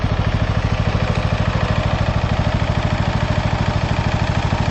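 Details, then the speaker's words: Abandoned Bolens FS-11 articulating tractor after rewiring, engine running at fast idle with the battery reading 12.6 V, rising to 12.7 V once the charging wire is connected: steady, even putter with no knocks or misses. Running healthy and charging. "Alright, with the motor running, I'm at 12.6."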